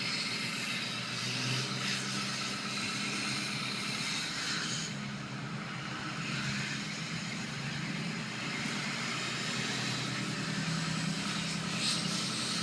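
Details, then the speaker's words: Ford F250 6.0 Powerstroke diesel accelerating past a building. A thin high turbo whistle rides over the diesel rumble and echoes off the walls; ordinary turbo spool, barely audible from inside the cab. "some people always wonder how much noise does it make inside the cab and pretty much none you listen really good you can hear the whistle otherwise it doesn't bother you"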